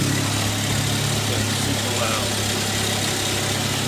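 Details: 2003 Saab 9-3 SE at about 100,000 miles; this noise started 200 miles after an oil change, and the owner mentions sludge. A loud, coarse roar sits over the idle and stays even throughout with no speed change. Abnormally noisy engine, cause undetermined.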